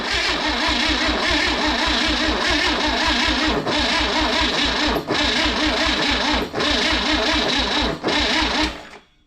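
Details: Freebie 235 inline six after new points and plugs: steady even cranking thumps with brief hesitations as if trying to catch, then dies off; cranks but won't start.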